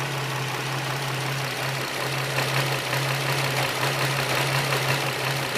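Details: 2006 Nissan 350Z VQ V6 idling after valve cover gasket work, with P0300/P0302 codes. A steady hum turns lumpy and misfiring as hissing air is sucked in through a vacuum leak in the upper intake plenum.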